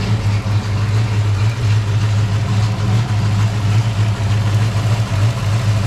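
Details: Foxbody Mustang project car V8 with a freshly installed drivetrain and off-road H-pipe exhaust: deep, even idle burble, steady low rumble, no misses or ticks; burning residue off the exhaust manifolds, clutch fan not connected, timing not yet set.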